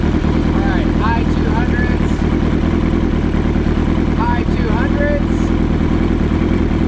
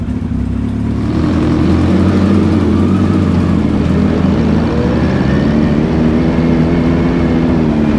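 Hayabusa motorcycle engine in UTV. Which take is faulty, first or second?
first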